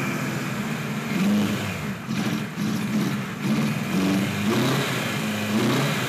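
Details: 1976 Kawasaki KZ900 A4 four-cylinder project bike on its first run after fueling the carbs, which was hard to start: an uneven, lumpy engine note with revs irregularly rising and sagging; misfiring and running rough.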